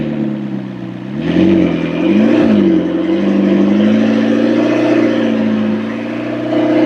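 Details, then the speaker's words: McLaren 650S feared blown motor after possible oil overfill, after cap removal possibly freed a diaphragm stuck upward: smooth, even engine note rising and settling with clean blips, no misfire or knock, idle holding, smoke nearly gone; normal idle and revs. "It's sounding much better. Yeah, it's holding perfect. Yeah, that sounds really good. Yeah, it's exactly how it should sound right there."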